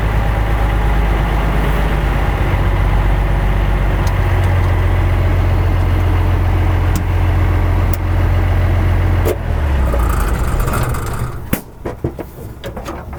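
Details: M35A2 deuce-and-a-half military truck after a no-start fix: deep, steady diesel idle with an even low beat and no misses or knocks; running healthy.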